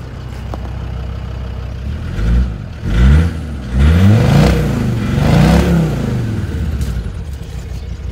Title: Discovery 2 misfire cold high rev